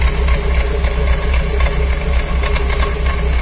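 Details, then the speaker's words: Petrol car idling roughly with a low, lumpy beat that chokes and stumbles about twice a second. It loses rpm when the clutch is released, accelerates weakly and pops in the exhaust. Removing the lambda sensor didn't help; the owner suspects the engine gasket and crankshaft pulley gears. "tipo engasgando assim ó esse problema pode trocar que eu falei para vocês junta pede para o seu mecânico verificar junta e as engrenagens"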